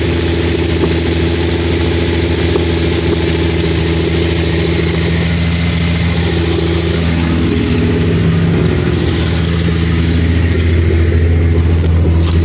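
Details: Engine recently thawed after freezing at about -13°F and refilled with a fresh, stronger mixture, with a rotted hole in the exhaust: a loud, deep idle with an uneven pulse about every third of a second and raw exhaust bark. Rough idle, possible misfire.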